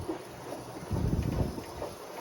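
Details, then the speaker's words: Seven-year-old Kenmore washer, model 41162, filling with a soft steady rush of water and no banging after the house water supply valve was turned down to about halfway; hammering gone, inlet sounds normal. "not quite off we wanted a little bit like halfway to where it still lets in water um and that noise went away so everything went away"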